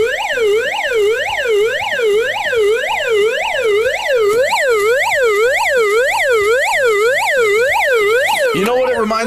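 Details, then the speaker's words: GoPower Flashlight radio's S.O.S alarm: loud steady wailing siren sweeping up and down about twice a second, like Pac-Man on steroids; alarm working as it should. "So this is literally sounding like Pac-Man on st"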